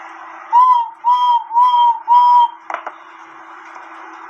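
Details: Cuckoo clock bellow blown into by mouth to test the wooden reed before recovering: four short, clear whistles at one steady mid pitch, each rising slightly; reed correctly positioned, sounding properly.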